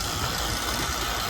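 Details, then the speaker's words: Carrier HVAC first-stage scroll compressor, loud and drawing 14 A versus 11 A for the quiet one, during oil treatment. A loud steady hiss and rough hum shifts audibly as the draw falls below 11 A, though it is still noisy. "I don't know if you can hear it's working, like it's working through. I don't mean it's working like, hey, everything's going away, but the sounds are physically altering."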